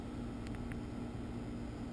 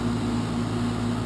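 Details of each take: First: New American Standard Platinum 20 SEER heat pump running after replacing a noisy 12-year-old unit; soft steady low hum with gentle fan hiss, no rattles or surging; quiet normal running. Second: 12-year-old outdoor heat pump, loud at start-up and while running, before replacement with a new unit: steady loud droning hum with a low pulsing tone: loud running heat pump.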